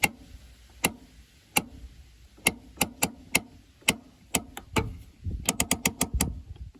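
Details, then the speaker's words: Parking brake lever with newly installed, adjusted cables: crisp ratchet clicks in steady strokes, starting to pull at one click and tight by the top; brake working normally. "then by the time it gets to the top where it's pulling tight the whole way, it's good to go now. There's some tension there, as you can hear."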